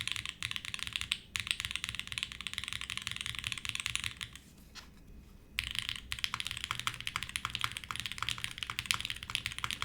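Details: Navi60 keyboard build with lubed Tangerine switches, fast typing test; soft dampened clacks with little ping, muted sound possibly from switches being slightly over-lubed; slight stabilizer rattle noted.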